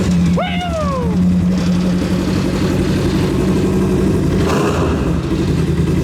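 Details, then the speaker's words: RS1 off-road race car build, first start following a fix of loose fuel pump wires: the engine catches and runs with a strong, even beat that holds steady, with the unbolted roof panel rattling over it; normal running. "That sounds spacey, man. I can't stand behind it. Sounds good. Besides the roof rattling."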